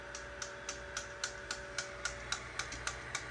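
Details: AnkerMake M5 3D printer with the hotend heated and extrude pressed: sharp, regular clicks about four times a second over a faint motor hum; the extruder gear is slipping and filament won't feed, though the extruder was disassembled and nothing was found stuck.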